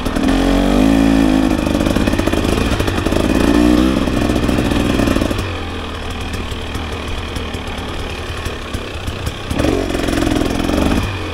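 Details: 2024 KTM 300 XC-W two-stroke on a woods ride: burbles and stutters unevenly at small throttle openings, then smooths into a strong crisp note as the throttle opens past a quarter. Rough part-throttle running, cause unknown.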